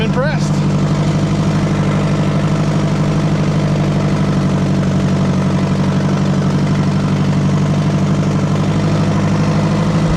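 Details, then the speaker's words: Oliver 550 tractor, engine fired right up before hydraulic pump replacement: catches quickly, then settles into a steady low, even idle with no misses or knocking; normal start and idle. "Guess I shouldn't have doubted it. thing fired right up. I'm"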